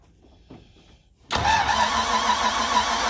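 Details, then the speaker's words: 1963 Ford F-100 with a 292 Y-block, first start after fitting plugs, wires, distributor, coil, exhaust and cooling system: cranks and catches at once, then holds a steady, even idle with no knocks or misses; carburetor later leaked fuel and radiator leaked. "but yes it did start everything's the wirings right it actually sounded really good we ran it for a very short time"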